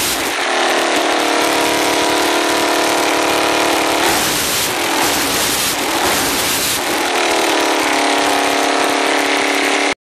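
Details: Suzuki LTZ400 quad's single-cylinder engine idles, revs sharply and settles back with a loose metallic rattle; cause unknown.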